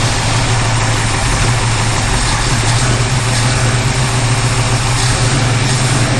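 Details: 1951 Henry J street rod V8 after swapping in another distributor cap and coil: steady lumpy idle with even beats, no popping or backfire; normal idle, backfiring mostly stopped, likely ignition problem.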